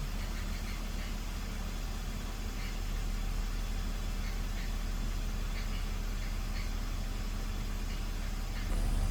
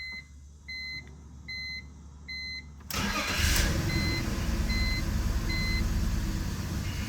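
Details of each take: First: BMW E46 idling after vacuum leak repair (CCV system replaced, two of six bad coil packs found) that cured misfires; idle low, even and steady with no ticks, misses or hunting, revs settling as it warms, far smoother than minutes before. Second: BMW E46 inline-six, after CCV vacuum-leak repair and clearing codes P0301–P0306: chimes, then cranks and catches into an uneven, lumpy idle that never settles; cylinders 1 and 6 still misfiring, later traced to two bad coil packs.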